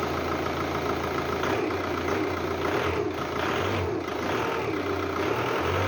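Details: 2006 VW Golf Mk5 2.0 TDI BKD diesel, cold start after MAF sensor cleaning: settles into a steady, even idle with no misses or knocks, just usual diesel clatter. Previously ran very roughly, especially cold at idle; now healthy.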